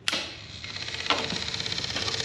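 Fast, even, dry clicking, about fifteen a second, coming from the steering unit around shutdown; cause of the click unknown.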